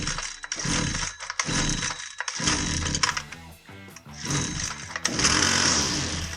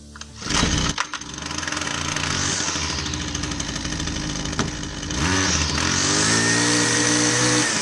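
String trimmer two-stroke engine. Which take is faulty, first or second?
first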